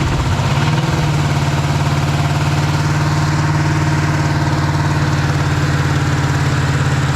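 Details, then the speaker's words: 1956 Chevy 150 with a 35-year-old V8, first start after coil check with spark plugs not yet changed; catches within a second and settles into a steady, even idle with no knock or miss: normal idle. "So anyway, we came here, we conquered, we got it running, changed the oil. We haven't done the spark plugs, but we solved the question if it's going to run."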